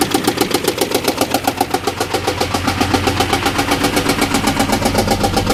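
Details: Engine restarted days later with something disconnected; steady chuffing pulse about four times a second over the idle, not a knock; coolant smell led owner to suspect a blown head gasket, unconfirmed; rough running.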